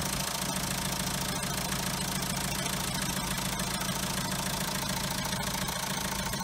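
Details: Diesel car with original French turbo, noise began after timing kit, water pump and tensioner were replaced: sharp metallic ticking, three to four a second, over idle; metal on metal, turbo shaft broken inside.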